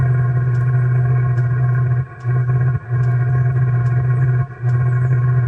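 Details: 2 kW Chinese diesel heater in a 1997 Mazda Bongo Friendee diesel, restarted after clearing an E-07 code by reseating the harness: steady low roar with a faint regular pump tick that dips and stumbles, still burning unevenly after lighting early with too much fuel.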